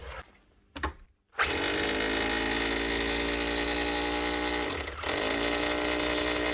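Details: 20-year-old Bosch GBH 4 DFE SDS+ hammer drill, previously not hammering with heavy motor sparking, after armature work and regreasing: motor winds up to a steady whine with an even, rapid hammering rattle and no grinding; hammer action restored.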